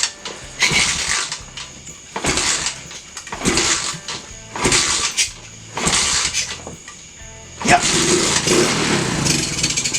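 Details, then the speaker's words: Free, previously seized TAO pit bike, single-cylinder, with no fuel and sprayed with brake cleaner: short cranking bursts about every 1.5 seconds, then it catches roughly at 7.7 s and runs. Doesn't sound bad. "Well, this has got to be just about the fastest revival we've ever done. Doesn't sound bad."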